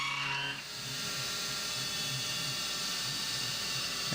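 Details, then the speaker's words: CNC roughing an AR15 high-rail gas block, spindle override reset up from 1700 rpm toward the 2125 rpm programmed speed: harsh, steady high-pitched squeal over spindle and cutting hiss; bad end mill chatter at this speed. "i wanted to go low enough to where the chatter just disappeared and then here i reset it and you can hear how bad that"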